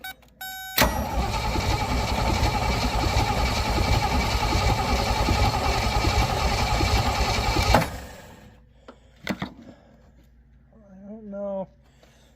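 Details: Willys CJ5 (around 1971) with AMC 304, sat for years: about seven seconds of steady starter cranking that never fires; ignition uncertain, gas then poured down carb; turns over but won't start.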